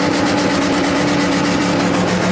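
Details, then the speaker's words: 1995 Chevy K3500 6.5 turbo diesel, 160,000 miles, starting at 2,000 rpm versus 844 desired idle: steady diesel clatter with a rising drone as revs run away after a light throttle touch. Technician is certain it is electrical, not a sticking injection pump solenoid. "Wow. So definitely an electrical problem. I'm 100% sure of that."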